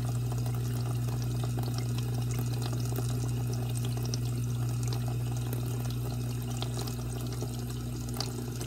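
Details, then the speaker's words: Dishwasher after water inlet valve replacement, water turned on and cycle started: a steady rush of water into the plastic base with a low even hum, no sputter or hammering and no drips, a normal fill. "you can hear water coming into the bottom of the unit because it's plastic"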